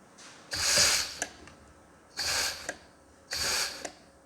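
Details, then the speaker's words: Reassembled John Deere 1640 PTO clutch pack pressurised with compressed air: three sharp hissing bursts, half to one second each, as air leaks out at the bottom end of the pack while it locks and releases. "That air leaking out that you can hear, that's just, I can actually feel it coming out down the bottom end here."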